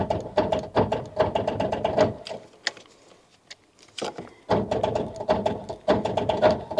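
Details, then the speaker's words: Rover 800 series, turbo, abandoned 15 years in brambles: slow, uneven starter churning at about two to three beats a second, stalling then resuming; engine tight and reluctant, slowly freeing off. Owner suspects a seized water pump; labored cranking. "Sounds like it's slowly freeing off. Is it spinning over? Is it not? It looked like it was spinning over earlier, but it doesn't sound very good at all."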